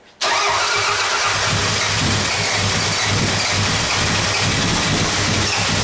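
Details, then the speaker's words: Toyota Camry with a non-interference engine, after replacing the snapped timing belt, water pump, idler, cam seal and valve cover gasket; first start since it was towed in, throttle held wide open: catches quickly into a smooth, even idle. "this is going to be the first attempt to start it since it got towed in"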